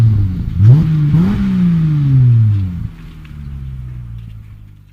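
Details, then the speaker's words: 2017 Dodge Charger with push-button start that would neither crank nor start, now with a new control module installed and codes cleared: the engine catches, revs briefly, then settles to an even idle. It starts normally, with the ABS light still on. "نحاول تشغيل السيارة، نلاحظ المحرك اشتغل بشكل طبيعي مع بقاء لمبة الاي بي اس مضاءة."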